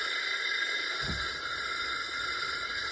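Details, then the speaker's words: Toro Recycler push mower that won't run, leak-down test at top dead centre: a steady hiss of air coming out the exhaust, none from the intake or dipstick. The exhaust valve is leaking, not the rings. "I don't know if you guys can hear that but here's what we are at and that's all coming right out of the exhaust"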